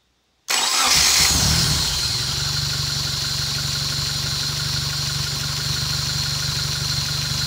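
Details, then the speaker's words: Honda K24A engine swapped into a VW Vanagon, first start on a Haltech Elite 1500 ECU: brief cranking, then it catches cleanly, flares briefly and drops to a smooth, steady idle. "and gentlemen we have a runner"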